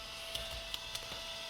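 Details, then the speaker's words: Abandoned Mercedes 300CD, battery just installed after long storage: a thin, high mechanical whir with a few sharp ticks as the CD player mechanism keeps cycling and won't stop. "Alright, well, the battery's in. She hasn't burst into flames yet, but the CD player's trying to do something, and I can't make it stop."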